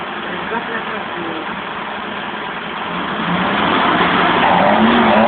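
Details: 1971 BMW 1800/2000ti engine, just brought back to life, revving: pulls up steadily from a lumpy idle into a smooth, clean rev with no knocks or rattles; sounds healthy.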